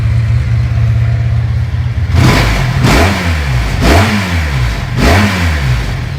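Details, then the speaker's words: Motorcycle after carburetor synchronization, vacuum ports plugged: even steady multi-cylinder idle, throttle blips dropping back cleanly, no hunting or stumble, idling better than before; normal idle. "Now, I don't know if you guys can tell or not, but it idles a lot better than it did."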